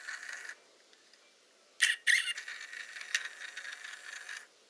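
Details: Hasselblad Winder CW motor winder: short whirring run with a thin squeak near 2 kHz over the motor, worst during the wind stroke; dry gearing suspected, not confirmed.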